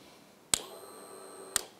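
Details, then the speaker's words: 2007 Suzuki GSX-R1000 no-start diagnosis with test light: two sharp clicks about a second apart as the starter relay pulls in and releases, faint ringing between; switch, relay power and contactor working normally. "So that tells me three things. That this switch is working correctly, that it's getting power to this location on the starter relay, and that the starter relay contactor is actually engaging and sending power down to the starter."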